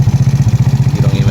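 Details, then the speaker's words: GY6 150cc scooter just after valve adjustment, cover still off: even single-cylinder putter at roughly twelve beats a second with no ticking on top; the chattering heard before adjustment is gone; normal idle. "hear all that chattering that it used to have before. Before it was chattering everywhere. Now it's nice and adjusted."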